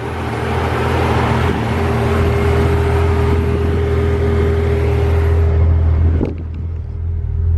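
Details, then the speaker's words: 1991 Toyota Supra Mk3 7M-GE non-turbo after alternator replacement: smooth, even idle with steady low hum, belt tight, no squeal or chirp from belt or alternator; engine running normally. "And here's the ending result. No squeaking. Engine running perfectly."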